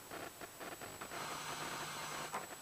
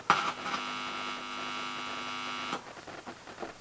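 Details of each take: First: Balanced microphone line of transformers, batteries and cable into a preamp turned up, built to reject fluorescent-light interference; only a faint, even amplifier hiss with no buzz or hum: normal preamp hiss. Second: Homemade microphone cable through transformers into a reel-to-reel recorder, one end balanced and one unbalanced: touching both wires gives a steady mains buzz with a high edge that then drops away, hum from the poorly balanced input.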